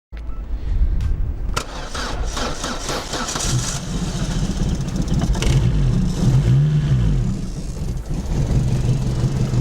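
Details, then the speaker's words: Opel Corsa 1.4 petrol, parked about 2 months, fully discharged battery, cold start around -1 °C with a LiPo jump starter; clicks, short cranking, then catches into a steady low idle; started easily, about 202 A drawn while cranking. "We can see it started. It started quite easily."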